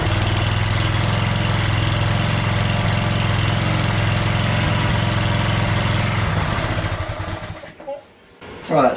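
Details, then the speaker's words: Craftsman walk-behind string trimmer small engine with new plug, no choke: runs with a slow steady low chug, clearly underspeed, then shuts off; owner suspects throttle setting/governor spring needs raising. Low engine speed. "that does not sound like that's spinning fast enough so let's take a look at that throttle setting on here and see if we can raise that up a little bit"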